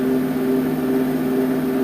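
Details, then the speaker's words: Wood gun furnace blower, original fan motor after new front and rear bearings: steady whirr with a faint constant hum, no grinding or rattle; slight harmonic, owner suspects imbalance, quieter than before. "it is running I can still hear a bit of a harmonic sound something out of balance I don't know if you can hear it on a video but it's slight if not as loud and as it was the first time"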